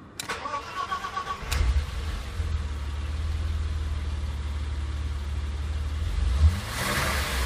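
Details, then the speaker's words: BMW E34 with M20B20 engine, about 303,000 on the odometer, started after cylinder head repair and camshaft replacement; no viscous fan clutch fitted. Brief crank, clean catch, then a low, even idle with no misses or knocks. Runs smoothly. "Все, работает ровно, мне нравится."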